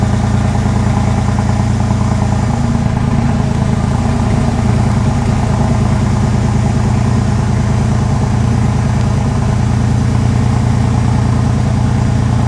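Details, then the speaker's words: 2001 Porsche 911 Carrera 4 (996) flat-six just restarted after engine-out timing chain guide replacement: smooth, loud, even idle with steady low burble, no rattle or tick, warming up; normal idle. "sounds good hopefully uh hopefully it stays that way i'm going to let it warm up watch for any fluids dripping underneath"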